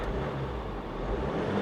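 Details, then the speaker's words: Diesel Hummer at a salvage walk-around, no service warnings shown; light rev from inside the cab gives an even, smooth diesel drone with no knocks or rattles, engine sounds healthy. "sounds healthy"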